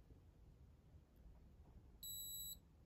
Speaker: until you hear that beep now you're going to hear it a beep when it locks and unlocks just like that